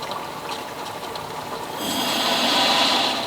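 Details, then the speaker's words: Off-grid micro hydro Turgo turbine plumbing, spear valve motor removed, hose filling slowly while air is let out: quiet trickle gives way to sudden hissing rush of water leaking from the bottom plugged hose barb, needs sorting. "Water's leaking out of the bottom one, out of the plugged one. I'm gonna have to sort that."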